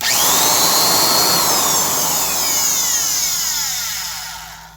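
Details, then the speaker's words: Milwaukee 1670 single-speed 900 rpm Hole Hawg drill, unloaded: loud high-pitched whirring rattle, pitch falling as it spins down; first thought a dry lower bearing, but bearings felt fine, so noisy brushes suspected. "Plugged it in. It does sound like a little bit of a noisy bearing. I'll have to pop this motor out."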